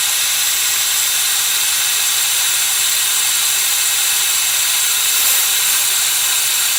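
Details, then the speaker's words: Subaru Legacy GT, EJ25 turbo engine with aftermarket intercooler, engine off under boost leak pressure test including blow-off valve: loud steady hiss of escaping air, leaking badly at crankcase ventilation; boost leak. "it sounds like it's leaking somewhere around here really bad"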